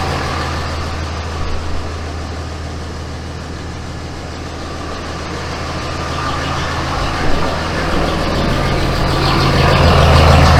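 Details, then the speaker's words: 2007 Ram 2500 with the 5.9 Cummins diesel and G56 six-speed manual, new South Bend dual-disc organic clutch: steady idle in neutral with a light, rattly chatter said to be gears backlashing against each other. "So initially, I can hear the chatter that they talk about with the southbend clutch. And they say it comes from the gears kind of backlashing against each other while in neutral, which that doesn't really bother me."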